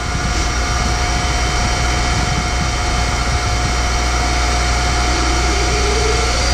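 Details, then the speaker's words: Boyar Schultz Challenger surface grinder with its motor refitted, spindle spinning up: a steady loud whir with a faint fixed tone and a slowly rising whistle. The spindle bearings now sound good. "No here goes motor sounds good spindle bearings got happy"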